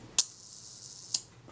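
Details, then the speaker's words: Kodak Retina IIIc (type 028) shutter during servicing, retard gear train engagement adjusted mid-range, set to 1 second: two crisp clicks about a second apart, clean open and close with nothing dragging; slow shutter speed timing correctly. "And check that the shutter fires and times at approximately 1 second."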